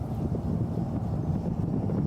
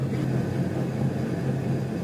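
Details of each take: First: Truck driven after a trailer-related rear driveline failure was repaired, including the carrier bearing, heard from the truck bed: smooth steady tyre and road rumble with no whine or howl; rear axle quiet. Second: Truck damaged towing a new trailer, driven slowly with no load: a low, steady growl with a slight throb from the rear axle, suspected worn pinion bearing in the rear differential; transfer case heard no noise.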